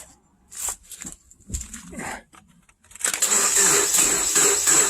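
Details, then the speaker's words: 2010 Subaru Impreza 2.5 non-turbo, 113,000 miles, in for an engine replacement after running without oil, with a badly corroded battery terminal: slow, labouring crank at about three turns a second that never catches; the battery is flat. "gee the battery's dead can you believe that it's been it's been less than five minutes I can't believe I can totally shocked that the battery's dead with the condition of that terminal"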